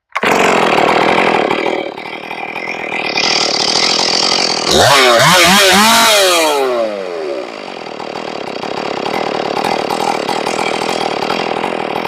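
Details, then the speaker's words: Ported Stihl 461 chainsaw after repairing a blown-out plug, final tune: fires on the first pull on restart, blips and drops back, then holds a steady, even idle burble; sounds stable and ready to go. "Sounds nice. It's stable. I think this saw is ready to go."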